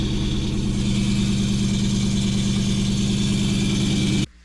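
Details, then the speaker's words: 2004 Ford Mustang Mach 1 with a Steeda short-throw shifter, started on a charging battery: harsh constant rattle over a steady idle that stops at shutoff. Transmission-area rattle. "Oh, that's terrible. Oh, that's awful. Oh my God. That's miserable sounding. That sounds awful. I've never heard anything like that."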